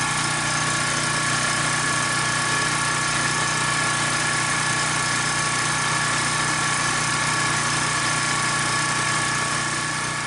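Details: Troy-Bilt pressure washer with 875/887 series ReadyStart engine, started by pull after carburetor cleaner spray left it slightly flooded: loud, even drone at steady speed with no misses, surging or stumbling; runs cleanly.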